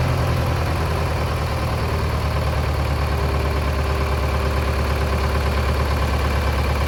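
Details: Mid-1960s John Deere 3020 diesel tractor run after sitting 5 years, battery box turned for the chassis ground: steady, even low diesel rumble at idle with no knocks or misses. Normal idle.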